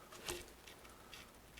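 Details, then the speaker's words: Neglected Trek 6500 mountain bike rear wheel spun by hand: only a few faint, soft freehub ticks because the lubrication inside is gunked up; fix is degreaser or thin lube. "I'm not hearing hardly any clicking out of that freehub and tells me that the lubrication that's in there it's all gunked up"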